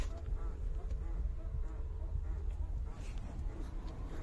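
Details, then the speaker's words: Mercedes W203 chronic rear squeak heard while rocking the car; short rubbery squeaks traced to the rear sway bar rubber bushing despite newly fitted bushings, to be fixed by syringing grease between bushing and bar. "şimdi Sesin geldiği yer nerey demiş bakın nerey demiş Bakın şu Viraj çubuğunun lastiği"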